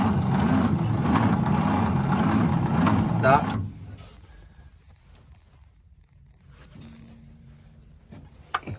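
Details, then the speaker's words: 1953 International L160 truck, battery at full voltage: starter drags engine over sluggishly, about four labored pulses a second, never catching; slow cranking at snail speed, spark present, cause unknown. "we can gonna try to get the engine to spin a little faster because it's going at snail speed"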